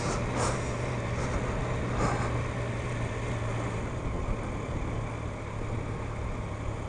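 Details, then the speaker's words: 2015 Yamaha FJ-09 triple on first ride around a parking lot: steady, even engine drone under riding wind with no knocks or ticks, sounding very different; healthy normal running. "wow it feels different sounds like way different oh my God this triple sounds amazing"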